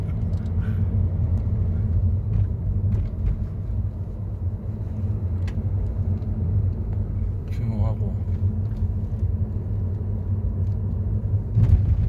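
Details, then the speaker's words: 2015 Mercedes-Benz W212 E-Class after repair; the owner had a front driver-side noise despite repeated suspension part replacements. The ball-joint bearing was suspected, and on the post-repair rough-road test drive only a steady road rumble is heard, with no knocks or rattles. "비포장도로까지 가면서 약간 소리가 크게 났던데 거기까지 딱 가면 소리가 하체를 바꿔서 스쳐가면 다 좋네요"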